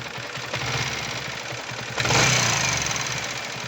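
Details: Yamaha R15 V3 BS6 at about 8000 km, before repair: light rapid ticking over the single's idle from the engine head, sharpening with revs; worn exhaust rocker arm, fixed by replacing it and setting valve clearance.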